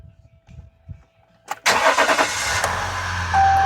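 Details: Tuned 2015 Ram EcoDiesel with a crank-no-start and no fault codes, after the stuck throttle body was dealt with: short crank catches within a second and settles into an even, steady idle. Fuel rail pressure climbs past 4,000; runs fine.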